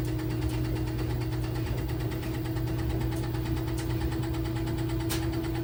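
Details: LG WT1101CW washer during spin: steady low drum drone with regular knocking and shaking; cause not identified.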